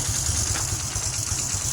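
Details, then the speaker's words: Honda Supra X 125 FI that was totally dead with no ignition, after rejoining faulty wiring connectors at the head: small single quick, even idle beat with no misses or knocks; running cleanly. "Nah, oke, sudah hidup tuh, sudah hidup ya, lampunya sudah hidup."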